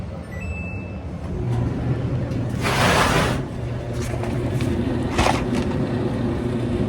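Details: Samsung electric dryer DV48J7700EW/A2, brought in for not heating and shutting off, run on the heat cycle: a steady low tumbling rumble with a faint early click, the board relay, as the drum turns evenly; normal running.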